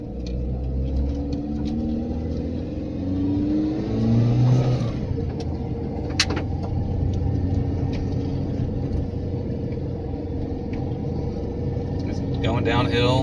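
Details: Cabin mic, Mitsubishi Pajero Mini turbo, five-speed, after new custom 2-inch mandrel-bent exhaust with small turbo muffler, no converter, exiting under passenger seat: mellow low exhaust note rising and falling with revs, turbo more noticeable than exhaust, no drone; normal exhaust note.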